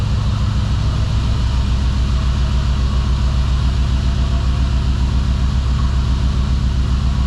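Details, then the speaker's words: 2005 Dodge Ram 1500 4x4 with a swapped donor Hemi V8, cold start after sitting a couple of days: idle with an uneven lope two to three pulses a second, at least one cylinder possibly missing; owner hopes warming up revives injectors. "it took off and it's sitting there idling I think I hear at least one cylinder missing in it yet but I'll get it warmed up again and good so uh we'll see if that will bring these injectors back around"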